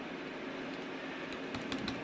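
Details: 2018 MacBook Pro 15" A1707 keyboard, tab key: light, crisp single clicks over steady background hiss, each press even and clean; key working normally.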